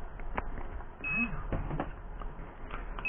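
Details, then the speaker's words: Turnigy 9XR Pro transmitter with Banggood 4-in-1 multiprotocol module v1.2, manual bind attempted with drone: short high beeps repeating every couple of seconds as bind signal is sent, drone never links; receiver not binding. "okay you can hear it sending the vine signal but nothing is happening to the drone"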